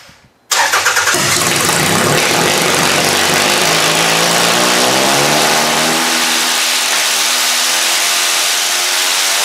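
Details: Demolition derby car engine with spark confirmed, started with most sensors connected: loud, ragged, uneven roar with no steady beat; visible flame suggests not all cylinders firing, owner suspects bad spark plugs, cylinders seemed to come alive once warm.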